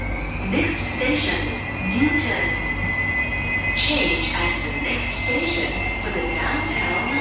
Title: [Loud screeching sound] SMRT C151B (607/608): Bishan - Orchard (➡️Marina South Pier) #c151b #smrt